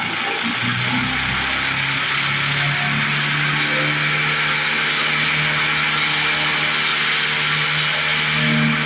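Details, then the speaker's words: 1950s Lawn-Boy bricktop two-stroke with low compression and cleaned points, choke won't stay on so held by hand; high buzzy drone with wandering, surging pitch, runs only choked; owner suspects stuck carburetor needle valve, unconfirmed. "Our choke keeps coming off. I don't know why that is. I think we're missing something for that. Just choke it by hand."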